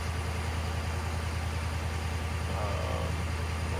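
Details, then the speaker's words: 2011 Ford F-350 6.7 Power Stroke diesel, high idle wired with 20k resistor, in neutral with parking brake on; steady smooth deep drone at about 1200 rpm: normal high idle. "1200 rpm or so"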